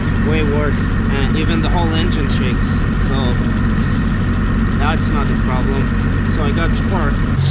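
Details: Mitsubishi Galant VR4 at idle, already misfiring and slightly worse after new spark plugs, with one coil deliberately disconnected to test it: lumpy, uneven idle with a shaky low thump, a misfire; the owner suspects an injector.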